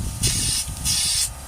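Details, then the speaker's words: Citroen C4 Grand Picasso with DPF pressure pipe removed and exhaust pressurised by a trigger gun through it: two short sharp hisses as gas escapes through the catalyst casing, an exhaust leak at the catalyst needing a new catalyst or a welded patch. "So this is either going to need, well, that's either going to need a new catalyst to repair that, or I think the more sensible route would be to take it to some sort of welder, see if they could weld a patch on that."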